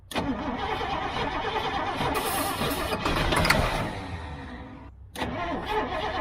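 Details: Gasoline GMC bucket truck, old, cranked from inside while feathering throttle and working choke: starter grinds the engine over at a steady rhythm with throttle blips but it never catches; fuel reaches the filter, second battery to be added; cranks, no start.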